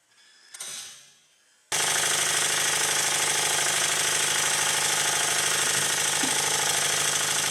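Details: Stuart model beam engine on air during a very-high-speed bench test after valve gear modifications: fast, steady beat about three a second with loud air hissing throughout. Misfitted slide valve lets air blow through at each stroke end.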